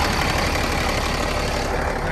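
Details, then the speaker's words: Old International dump truck diesel, sitting unused for years (about 15), first start: fires quickly and idles at a steady, dense, even clatter with no extra knocks or surging; 60 psi oil pressure, charging possibly not working. "i was not expecting to fire up that fast relatively uneventful and it sounds like it's running really good"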